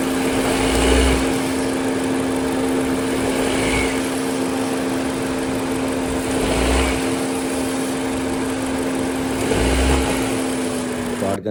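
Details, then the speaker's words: 2016–2021 Honda Civic RS turbo at idle after new serpentine belt, tensioner not yet replaced: steady high whine with faint periodic chirps; belt/tensioner noise only about 50% reduced, still present. "करने के बाद मैंने आवाज़ खुद भी सुनी है और आपको भी सुना दी है कि इंजन के अंदर आवाज़ 50-50 है, मतलब कह लें कि 50% आवाज़ ख़त्म हुई है और 50% आवाज़ जो है वो स्टिल अभी भी आ रही है।"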